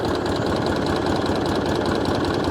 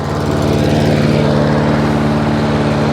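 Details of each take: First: Hayter 56 Pro lawnmower engine, oily and suspected tipped or overfilled, set to the fast throttle position: the small single-cylinder holds one steady, lowish speed with a rattly note and never rises to full speed. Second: Hayter 56 Pro mower that would not reach full speed (oil possibly overfilled or tipped), with the governor spring arm lifted from tick-over: now a steady, even engine beat holding firm revs with no hunting or surging, at proper speed.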